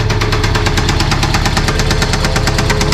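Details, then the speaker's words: 1993 Toyota pickup, started after being moved; rough, uneven idle with a steady fast ticking knock about three per second; cause undetermined, engine rebuild planned. "Battery must not be charging or something, because she fired right up. But yeah, doesn't sound good."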